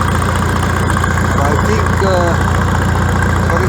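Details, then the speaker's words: Farmall tractor after exhaust modification, with a welded cap: deep, steady low idle with an even beat about two to three per second and no misses or knocks. The original deep sound is back. "got the same the same cell as previously it's a nice deep sound"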